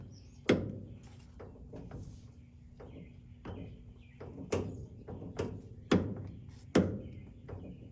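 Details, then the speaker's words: 1961 Ford Ranchero after sitting six months, engine off, car rocked: irregular heavy clunks about once a second; lower ball joint with a loose nut. "It sounds like it's on that. It's the lower."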